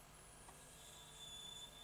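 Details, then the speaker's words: Sony SL-HF950 SuperBeta Betamax VCR with labored rewind and a capstan servo fault: over a faint transport hum, a thin high squeal rises once per supply-spool revolution, then fades; tape squeal suspected from incorrect back tension band. "it squeals and then it goes around. Right. So our problem must be with the back tension band perhaps."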